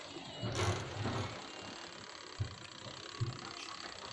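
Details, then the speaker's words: Washing machine that won't agitate: the spin timer gives faint, soft ticks about once a second, but the wash timer no longer ticks. The wash timer, not the motor or capacitor, is suspected and needs replacing. "Ada suara detik, sedangkan timer untuk pencuci ya udah nggak ada suara detiknya lagi ya."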